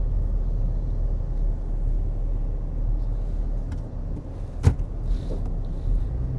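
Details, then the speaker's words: Used Toyota Camry LE on a test drive, in-cabin under acceleration: steady low rumble pulling evenly with no knocks, misses or whines; throttle response quick, transmission shifting fine; normal. "Throttle's good. Throttle's really good. It's kind of quick. Sounds good."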